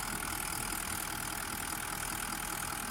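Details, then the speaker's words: Toyota Land Cruiser 200 1VD-FTV diesel V8 at warm idle after a full rebuild for a foreign knock (piston or bushings suspected), assembled and going through injector coding: an even, quiet, regular clatter with no odd knocks or ticks from either side, all working fine. "Посторонних звуков нет. С одной стороны. С другой. Все работает отлично."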